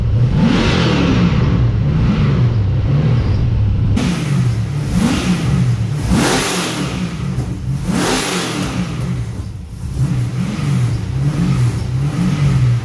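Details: First start of an LS1 V8 in an XG ute, with a better carby and a custom full exhaust without a further muffler; deep mellow burble at idle climbing cleanly through quick revs and dropping back smoothly, quiet down low, loud up top; normal idle and revving.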